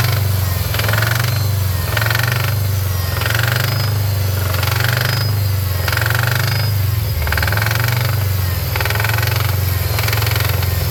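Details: 2013 Subaru STI right after start, following removal of the secondary air pump system, blocking plates fitted and its CEL programmed out: a loud, rhythmic metallic clatter/knock about once or twice a second; the owner has a hunch about the cause.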